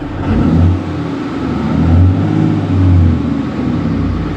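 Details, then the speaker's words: Car at Copart, slight coolant and oil smell noted. Throttle blips give a deep, steady diesel rumble rising and falling smoothly, no knocks or misses; runs good, healthy revving. "I mean it sounds good let's shut it off"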